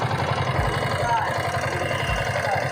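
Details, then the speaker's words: Yamaha R15S single at idle: light quick tick-tick riding over the beat; valve train noise, worn rocker and camshaft chattering, to be fixed. "इसका problem solve पहले problem है इसका sound"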